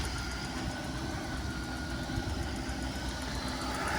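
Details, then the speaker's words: Mercedes-Benz S600 W221 ABC suspension after DIY flush with Febi MB 345.0 fluid, system already hot, running in rodeo mode as car tilts: low, even hum with no whine or squeal; normal, quiet hydraulic pump operation. "you can hear my um my system is pretty quiet which is good there's not much noise it's making"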